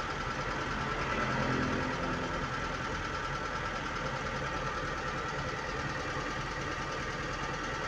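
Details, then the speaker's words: Car engine just after start-up, brought back to normal after a temporary idle-adjustment fix for high, surging idle (ISC): RPM swells briefly then drops and settles into a steady, even hum with no misses; normal start-up idle. "Oh, nah dia udah mulai turun. Karena kalau setiap menghidupkan itu pasti RPM-nya naik dulu langsung turun. Itu normal."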